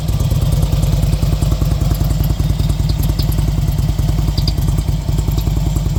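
Loping V-twin idle, about two and a half heavy thumps a second with light clatter over it; an abnormal noise, cause unknown.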